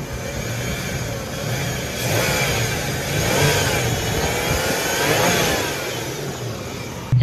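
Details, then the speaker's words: 1996 Toyota Tacoma 3.4 petrol V6 with suspected blown head gasket, after oil and filter change, back at normal temperature; runs evenly and takes light revs cleanly while the cooling system bleeds. "so far so good just waiting for the coolest system to bleed off right now but other than that the engine's running good"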